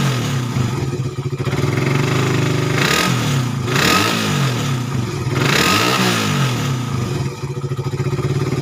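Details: Suzuki Satria FU 150 cc after correcting a cam chain replacement with wrongly set timing (top): revs up and back cleanly twice, then even idle with no misses or knocks; previously erratic idle, very rough, weak and fuel-thirsty.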